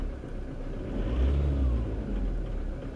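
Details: Car engine after fuel injector replacement and programming with a bi-directional scan tool, previously cutting out uphill on cruise: smooth, even note that climbs cleanly on a throttle blip and settles, no misfire or ticking; sounds normal.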